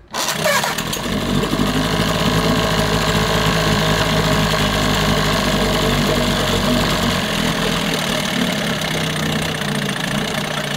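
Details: 1988 Johnson Evinrude 6 hp two-stroke outboard, fuel cap on loosely, primer bulb and carb full: starts, runs unevenly, then fades and stalls from fuel starvation; the plastic-top carburetor is suspected.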